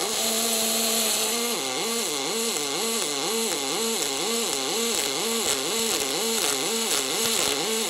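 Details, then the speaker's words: MIG welding aluminium with AlMg wire, superPuls active with two energy levels: arc hum swings steadily between two pitches about two to three times a second, an even distinctive warble; normal superpulse arc. "I’ve activated “superPuls” with two energy levels and the sound it produces is very distinctive."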